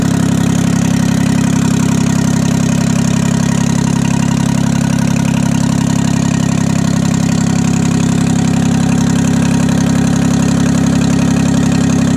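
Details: 1968 Detroit 3-53T two-stroke diesel after total overhaul, still stone cold (engine about 4.5°C, outside -3°C): steady, deep idle with even beat, no knocking or stumbling; normal idle, good oil pressure, no leaks.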